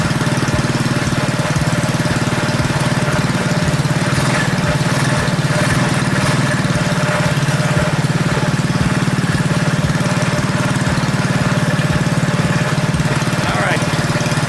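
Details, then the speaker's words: Predator 212cc single on KT196 go-kart after ignition timing advance: brisk, even idle, clearly faster than before; sounds good, but idle is too high and owner plans to lower idle speed or low-speed mixture screw. "But it sounds good. But it's definitely faster than it was."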